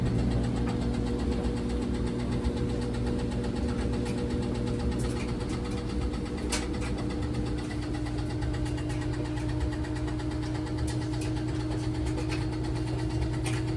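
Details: LG WT1101CW washer during spin: steady drum drone with scattered dull knocks and shaking; knocking during spin, cause not found.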